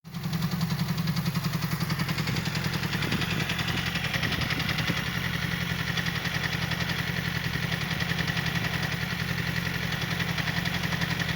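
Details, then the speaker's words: Yamaha R6 motorcycle idling with a busy metallic clatter from the clutch basket, knocking so loudly it is felt as blows through the lever; clutch due for replacement. "то есть сцепление стучит уже настолько громко что не ощущается через скрип он и удар по рукам"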